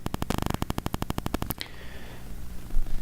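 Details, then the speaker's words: Shure SM7B mic through ART Tube MP preamp and Cloudlifter: a rapid, even stuttering buzz, a few pulses per second, then cuts out; mobile phone GSM interference getting into the mic line though the phone isn't close. "But by the same token, even if you put your power stripped up, oh, phone is busy again. Oh, it's busy now."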